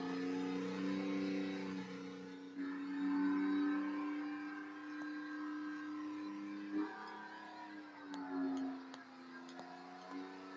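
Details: Porsche 997 after a complete engine rebuild, second startup attempt, oil tank just warming: engine held at about 4,000 rpm for 30 seconds with a clean, even, unwavering tone; healthy break-in run.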